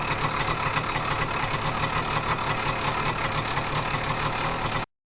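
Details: Tomos two-stroke moped idling with a loose, uneven metallic chatter over the exhaust beat; clutch rattle suspected, source not confirmed.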